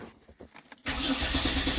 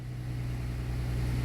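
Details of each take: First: 2007 Dodge Nitro crank-no-start after a fuel pump replacement, with only about two gallons in the tank: steady quick cranking for about four seconds with no firing, from fuel starvation. A wrong replacement pump is suspected. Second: 2007 Dodge Nitro after fuel pump replacement for a no-start: engine fires and settles into a steady, even low hum that grows slightly louder, no stumbling; running normally.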